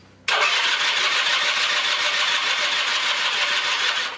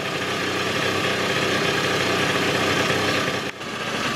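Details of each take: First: 1996 Rexy 50 two-stroke scooter, barn find unstarted for 13 years, NGK B8S plug, starting spray used: two long cranking spells of about four seconds, engine only briefly catching and never running on; carburetor then removed. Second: 1996 Rexy 50 two-stroke scooter, barn find, first start after 13 years, now running on fuel from its own tank: steady, buzzy idle holding an even beat with no stumbling or hunting; normal idle.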